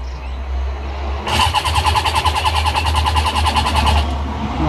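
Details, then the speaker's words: Yamaha XJ600 with newly fitted fuel tap and pump: the starter cranks evenly for about three seconds but the engine never catches. Owner suspects fuel starvation despite fuel coming in. "she's not starting for another reason is definitely feels like it's a fuel starvation issue even though I've seen fuel coming in"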